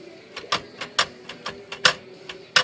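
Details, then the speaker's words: Royal Aristocrat (Safari-type) typewriter space bar: sharp uneven clacks with a loud clunk each time the bar is released; rock-hard, dried-out rubber cushion pads on the space bar. "It just makes a pretty loud clunk when you let go of that bar."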